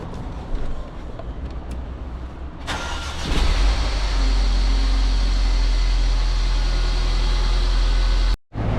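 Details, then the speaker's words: Mercedes GLA 200 after tensioner replacement: the engine cranks, catches and idles, and the idler bearing noise is gone, but a faint quick ticking remains from the noisy hydraulic lifters. The engine has little to no oil and will be topped up so the lifters bleed out. "um the idling the idler bearing noise is gone but there is another noise so we just noticed that there is little to no oil in the engine because I heard that the hydraulic lifters are very noisy on this car"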